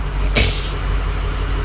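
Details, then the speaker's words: A single sharp pop over a steady diesel idle at startup, then it settles; engine popping back through the intake, with no boost after a corroded plug connection was found. "fires up pretty freaking good like that honestly all right you wanna test power it's popping a little bit out of the intake"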